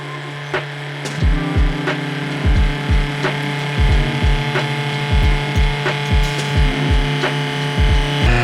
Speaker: So you want make that adjustment all the way down until you hear the burrs chirp.